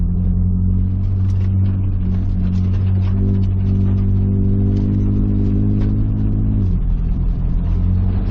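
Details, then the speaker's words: On its first test drive at highway speed after running out of oil and being torn down and reassembled, a 1994 Nissan Hardbody gives a steady, even engine drone with no knocks or ticks; normal. "Miles into the trip, we've hit highway speed, everything's good. I don't hear any strange noises, knocking, ticking, or anything."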